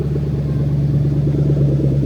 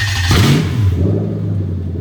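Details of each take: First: Lexus SC430 3UZ-FE VVT-i V8 on IS200 swap harness, warmed just over cold, idling about 1000 rpm: idle turns lumpy and uneven with stumbles; induced single-cylinder misfire. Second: Lexus SC430 3UZ-FE VVT-i V8 on plug-and-play harness for IS200 manual swap, engine just over cold, starter circuit test: brief starter whir, clean catch into steady, even low idle, no knocks; normal start and idle.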